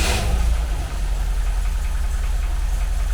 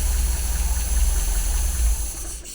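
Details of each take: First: 1980 MGB with twin SU carburettors after balancing and mixture tuning. Steady, even low idle with a regular beat and no misfire or hunting. Carbs are well balanced. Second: 1980 MGB twin SU carbs, engine not yet fully warm. Lifting a carb piston makes the idle sag and cut out; owner thinks this suggests the mixture is too rich, to be checked once warm.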